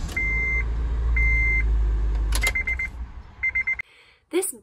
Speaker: noise is actually caused by the electrical ignition starter switch which is beginning to fail so as it doesn't make that contact it's starting to buzz but every couple times it does make a clean contact and then the car starts